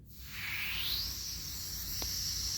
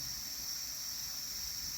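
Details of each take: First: Generac 22K Guardian air-cooled propane standby generator, LP regulator outlet opened before fitting the gauge: initial hiss builds, then fades to a thin rush with less and less flow; restricted propane regulator. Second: Generac 22K Guardian air-cooled standby generator on propane, with 1501 RPM sense loss stalls traced to the LP regulator: smooth, even high hiss with no surging, now consistent pressure, within the 11 inches water column spec.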